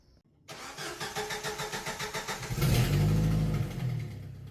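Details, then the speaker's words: 2001 Jeep TJ at start-up: even cranking pulses, then it fires with a sharp puff-puff on each firing stroke, the telltale sound of a blown exhaust manifold gasket, before the gasket is replaced. "so as you can hear in this intro The Telltale puff puff sound of a exhaust manifold gasket that's blown so in this video I'm going to go ahead and tear the Jeep down and we're going to replace that gasket"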